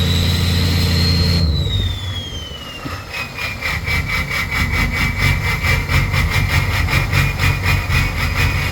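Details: Ford 6.0 Powerstroke diesel with smoke: a whistle winds down, then an uneven, lumpy idle with a loping beat around four per second; rough running, cause unknown.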